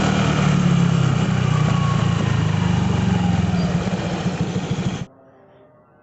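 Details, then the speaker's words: Honda Vario 125/150 scooter idling with a fast, uneven metallic jingle like a worn bearing, first suspected at the CVT (fully replaced, noise remained); likely from the center stand, worn center stand stopper. "Ini dia ada suara kayak gemericik apa ya kayak ada suara kayak bearing aus"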